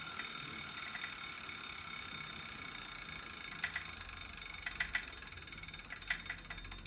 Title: Wahoo Kickr clicking noise